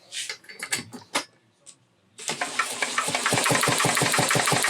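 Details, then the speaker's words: Homelite XL-903 chainsaw with a good used ignition coil fitted, spun by a DeWalt drill below 2,500–3,200 rpm: crisp regular pops about six a second; firing consistently at low speed, the old coil weak, a condenser swap had made no difference. "Look at how low a RPM I'm getting that thing to fire consistently. Full speed on this DeWalt is 3,200 RPM, so even assuming it drug it down to 2,500, would not fire that."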